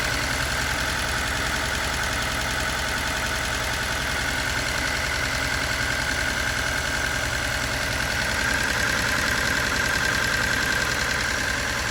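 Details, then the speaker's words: Restored turbo Datsun 280Z, first run after rewiring, jump-started: steady idle with a light quick even tick about three per second on top; owner suspects the injectors, unconfirmed. "What do you guys think that sound is? Not over there. I think it's the injectors, but I don't know."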